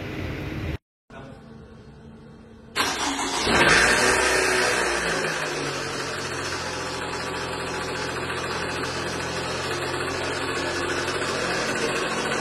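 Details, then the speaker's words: 2012 Toyota Alphard ANH20 2AZ engine, about 74,000 km, cold start: cranks and catches, then harsh gravelly roughness at idle that fades when warm; balancer shaft found shattered with gear fragments in oil strainer. "jadi di mobil alpard ini ada keluhan trouble suara sangat kasar di bagian mesin yang bunyinya itu muncul ketika awal mesin hidup kalau mesinnya udah panas ini bunyinya cenderung berkurang dan hilang"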